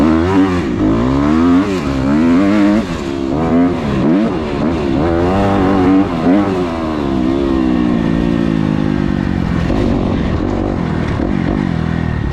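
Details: Kawasaki KX250F fuel-injected four-stroke ridden on the trail after replacing the fuel pump filter/strainer that had caused bogging, backfiring and lean running: revs up and down cleanly, pulling crisply with no bog, stumble or popping; normal revving.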